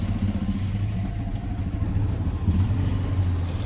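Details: VW Jetta, owner suspects inherited throttle body alignment fault (basic setting not done): engine starts with EPC light on, misfiring and idle surging up and down, lumpy uneven throb with heavy vibration; rough idle from faulty throttle body.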